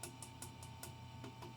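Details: 1955 Magnatone 108 Varsity Deluxe tube amp, power tube tapped about three times a second: steady low hum, no ringing or squeal after taps; power tube not microphonic.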